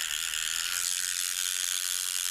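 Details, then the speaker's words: Toy Thomas TrackMaster engine (Ferdinand) bought broken, motor running. A fast, high-pitched ratcheting buzz runs steadily the whole time the motor turns. A split axle gear is suspected as the cause of the clicking gear noise. "Um, yeah, I think his gear is split, so that's why he's probably making that noise, but he is working."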